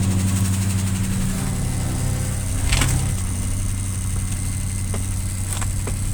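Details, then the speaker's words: 1967 Plymouth Fury, first start after sitting 42 years: deep steady rumble at fast idle with sharp clicks, smoking and leaking fuel; high idle and choke working, engine keeps running on its own. "not only did the high idle work but then the choke worked everything worked"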